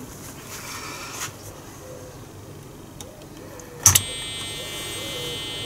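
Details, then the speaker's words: BBC Model B microcomputer at power-on after PSU recap: quiet hiss, sharp click, then continuous high steady tone indicating serious motherboard fault, traced to a bad DFS boot ROM. "that's not good news a continuous tone like that means that there's normally a serious problem somewhere with the main motherboard of the of the BBC"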